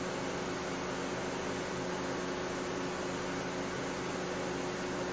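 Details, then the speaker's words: 2008 Mercedes W204 C180 Kompressor, engine running, AC refrigerant pressure reading zero bar (no refrigerant): cooling fan steady, even, moderate whoosh with no roar, no longer running constantly loud as before (fault B10 7A15). "but but that sounds like a good news because the actual the actual um fan is not blowing like"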